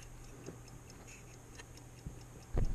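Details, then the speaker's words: Original electrically wound dashboard clock from a 1955 Ford, about 60 years old, opened on the bench. Quiet, even ticking of the fly gear; it is running properly again after WD-40, its first run in at least 18 years. "you can probably hear it ticking ticking away my little fly gear turning around with the spring on it"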